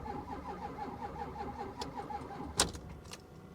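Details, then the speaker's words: Diesel Ford F250 with 441,000 miles at auction on a weak booster pack, fuel pump heard, glow plug wait: starter turns slowly in labored uneven churn, never catches; suspected lost fuel prime, not confirmed. "she tries I mean that booster pack does good but I'm telling you this is something that it lost its prime and there's no way we're going to be able to bring it back without killing the booster pack completely"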